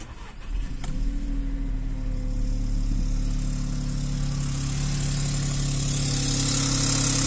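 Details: Seat Toledo 1.0 TSI 81 kW petrol, cold start with outside temperature above 20 °C: engine cranks, catches, settles to steady idle with light metallic rattle; source not identified.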